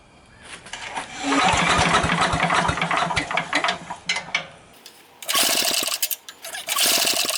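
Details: Sears Craftsman 9HP chipper/shredder, over 30 years old and unused 5–6 years, with 2-cycle mix dribbled in and choke partly open. Repeated pulls give compression chuffs that fade without catching. Owner suspects slow pulls, too much oil, not enough fuel.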